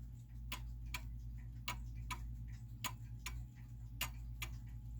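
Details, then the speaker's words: German time/strike pendulum clock after its case was shifted slightly off level: unevenly spaced, limping tick-tock; the clock is out of beat and stops running. "right you hear that now it's now it's out of beat right it's sort of a tick to and actually the clock has stopped because it's out out of beat and it can't stay running that way"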